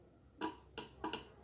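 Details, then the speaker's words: Homemade solar charging card for battery and inverter: relay gives crisp, dry clicks, about five in a second and a half, when the on/off switch is turned on, showing the relay is working normally. "ये हमारा relay काम कर रहा है।"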